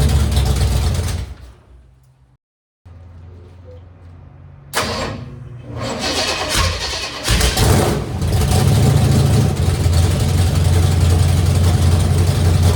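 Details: 1964 Impala drag car, first start in decades after cleaning points and setting them at 0.016 in and borescoping under the valve covers: starter churns steadily, short pause, then the big block catches into a deep, lumpy, even rumble; normal cold start.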